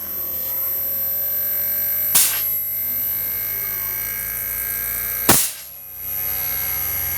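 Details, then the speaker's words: Daikin R32 inverter air conditioner after repairing board with L5 error (compressor not running): compressor now runs with steady even hum and faint high whine, no knocking or cutting out. "nhá rồi Như vậy là Block đã chạy Ok luôn"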